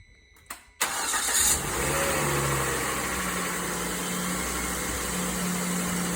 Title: Volvo C70 T5 ticking noise in cold start